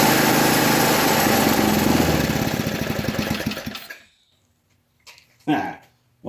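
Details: 1980 MTD SnowFlite 5-20 snowblower on a new carburetor, main mixture screw opened one turn from fully closed: small single popping along steadily and evenly for a few seconds before shutting off; running properly now.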